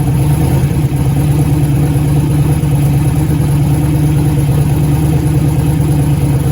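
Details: 1956 project car with a V8, just fired up after antifreeze was added: deep, loping idle with an uneven, stumbling beat and it won't rev. A misfire is heard, cause not yet known.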